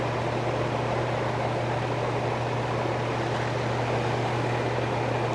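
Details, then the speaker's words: AC condenser fan running with steady rushing air over a low hum, but the compressor does not start; a hum then heard as the compressor tried to come on points to a failed capacitor. "Looks like we got the fan on. Okay, doesn't seem like we got compressor."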